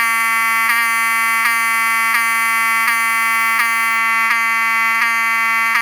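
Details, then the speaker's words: Wheelock 7002T-24 horn with HALON lens, bench test: loud, steady buzzing with a brief pulse about every 0.7 seconds, clean and strong. It sounds like any standard 7002T; the alarm horn works normally. "As you can see, it sounds like any other 7002T."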